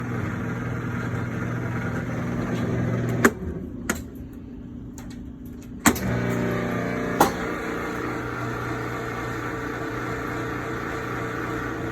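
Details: Kenmore top-load washer during wash cycle: a low drone with a rough grinding undertone, persisting after replacing the basket drive assembly, clutch and agitator dogs; cause unknown.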